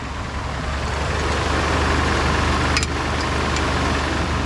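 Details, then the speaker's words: 1986 Jeep CJ7 drilling rig after driving on a humid day: a loud, steady, fast drone that never settles. It is idling too high and louder than before, with the cooling system building pressure. "definitely wasn't that loud before hoping this thing goes boil over on us building up some pressure but uh not too much definitely should not be idling that high"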